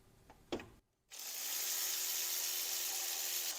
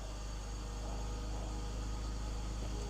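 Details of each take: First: 2006 BMW X3 E83, M54 engine, 17 years old, during belt and pulley replacement: belt tensioner pulley spun by hand gives a dry, gritty rushing hiss with faint rough drone; bearing sounds terrible, worn tensioner pulley bearing. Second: 2006 BMW X3 (E83) with M54 six-cylinder, after replacing both belts and two pulleys, at 21 °C: even, smooth idle with no belt chirp or squeal from the accessory drive; normal idle.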